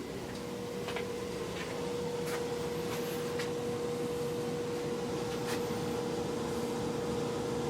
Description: Just installed new air exchanger Venmar EA-1500 s/n H904150712395, a humming noise propagate all over the house, even with headphone on, I can still hear it.